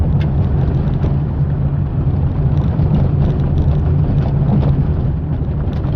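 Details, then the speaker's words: Fiat Palio driven over rough dirt streets after replacing the stabilizer link to cure a suspension noise: steady low road rumble with no knocks, clunks or rattles from the front end; the suspension is quiet, noise resolved. "é tão só e agora nada de barulho nada de barulho em volta"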